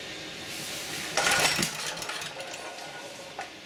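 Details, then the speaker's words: Auction-bought generator, choked: short cranking rasp ending in one sharp pop, no catch; backfire on a no-start. "Not very encouraging. Oh, still got a back fire."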